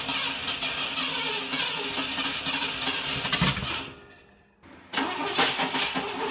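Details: 1960 Pontiac Ventura barn find with Tri-Power carburetors, after backing dwell off half a turn and resetting timing: uneven cranking churn about four seconds, pause, cranks again without catching; hard start, electrical or timing cause suspected, unconfirmed.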